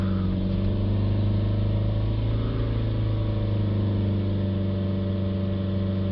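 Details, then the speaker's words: BMW 320d after turbo failure and new turbo, blocked DPF cleaned, held near 3000-4000 rpm watching DPF back pressure (~150 mbar, borderline high on revs, fine at idle): steady deep even diesel drone with no surging. "Idle is fine there, that's fine. But on revs it needs to come down a slightly little bit more."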